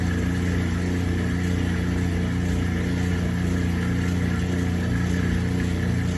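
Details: Kenmore 80 Series direct-drive washer performing a proper neutral drain: a steady low motor hum with an even, smooth churn and no slipping or knocking. A normal neutral drain.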